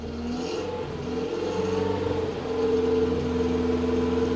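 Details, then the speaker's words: Datsun 120Y after ultrasonic carburetor cleaning and a clean fuel tank; picks up from steady idle into a smooth, rising rev with no stumble or pop. Normal revving, previously only idled; ignition still makes starting very difficult. "so this this has really helped but still we have a huge issue with the ignition system because it's extremely difficult to get going but now we actually can rev it almost perfect"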